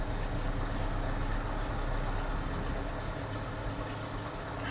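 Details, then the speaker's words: Chevy Z71 at idle with no check engine light: a loose, uneven rattle of two or three beats a second over the rumble. Timing chain rattle is suspected; a belt tensioner, alternator or water pump bearings are also possible. Not confirmed. "No, I don't think that rattling is going to go away, guys. There's something very wrong. I mean, it started better, but it sounds like timing chain rattle."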